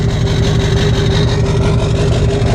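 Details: Diesel rollover rebuild, first start after rewiring, small brake fluid leak, rough fan: settles into smooth, even low idle without stumbling or knock; normal idle.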